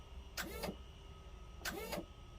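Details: Regal 33XO trim tab pump powered from boat's generator, lines disconnected: two brief smooth electric whirs with quick pitch sweep, good fluid flow from both sides; pump normal, fault in the tabs themselves.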